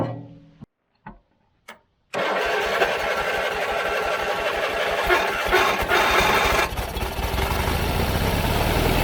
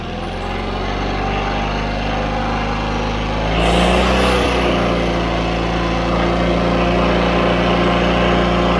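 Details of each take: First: John Deere 317 riding mower that quit while mowing: weak cranking bursts, then it catches and runs roughly and unevenly, stumbling from fuel starvation because the carburetor is plugged. Engine stalling from fuel starvation, plugged carburetor. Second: John Deere 317 riding mower twin, after carburetor cleaning (carb flowing fuel into the bowl, main jet clean), settles into an even, steady idle with no surging or dying; running properly.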